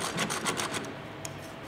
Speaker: it feels rough that nasty listen to that I know that Plate's not healthy but when I feel it when I turn the bearing in my hand it feels rough as hell so there we go that is our problem